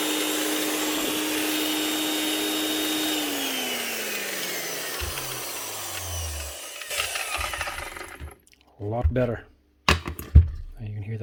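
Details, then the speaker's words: Makita 9609B 9-inch grinder after new bearings, lead and head repair: smooth, even high whine with no rattle or grinding, then clean steady coast-down; bearings healthy, slight gearbox noise as grease settles. "we might get a we bit of noise over the gearbox but just sounding a hell of a lot better"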